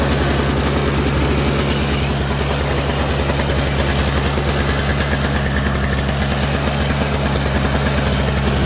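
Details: Toro CCR 3650 two-stroke snowblower after primer bulb replacement, electric start: loud, steady buzz holding an even pace with no misses or surging; engine running smoothly.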